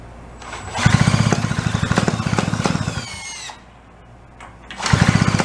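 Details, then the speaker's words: 49cc two-stroke fold-up suitcase scooter, sat 40+ years, after finding choke closed: sputtering uneven firing about four beats a second that fades, dies and catches again, some smoke; something not staying tight, cause unconfirmed. "All right, so we got her to run, cough, and fart and do"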